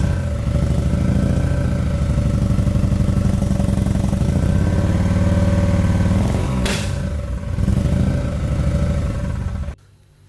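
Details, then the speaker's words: BMW-engine-swapped Nissan S13 idling rough; lumpy, uneven idle stumbling about four times a second with a loose, clattery note, a misfire. "just kind of sounds like a misfire. So, that's what it sounds like. It's running pretty bad."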